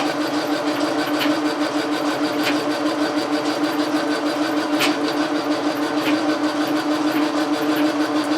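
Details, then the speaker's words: Logan lathe under power feed, turning a telescope declination shaft; bearing was just oiled. Steady hum with an uneven tick about three times a second. The vibration seems to be the lead screw and is not a concern. "that seems to be the lead screw this vibration I'm not worried about"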